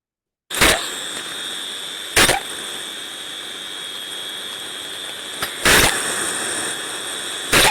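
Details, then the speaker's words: Ultrasound recording of a steam trap over 20 seconds: sharp hissing bursts every second or two over a steady hiss, eight very short cycles; trap short cycling, working inefficiently and beginning to fail. "we can see two four six eight Cycles there and very short Cycles so we can see that this trap is now starting to work inefficiently and is on its way out"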